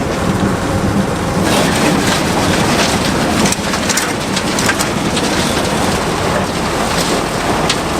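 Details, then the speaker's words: Abandoned combine revived, header (head) clutch engaged after lubing: loud, even rushing clatter with no knocks, squeals or binding; head runs freely, unlike the seized corn head. "Seems like our head's pretty free. Kind of snapped open and everything worked."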